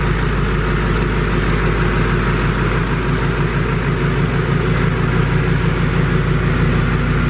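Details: Duramax LML diesel with a new long block, held at a steady 2,000 rpm outdoors during a 5-minute break-in cycle: smooth, even drone with no knocks or misses. It sounds healthy, with no big leaks on the ground. Normal high idle.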